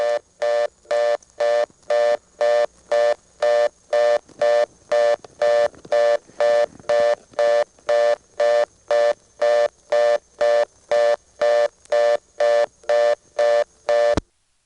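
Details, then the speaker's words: ITT Pentaconta crossbar office, Asheboro NC, March 1977: vacant code 311 was never wired, so the call times out to reorder, a fast on-off tone about two bursts a second, steady for fourteen seconds. "that's a code that hasn't been wired and it just ends up timing out to a reorder"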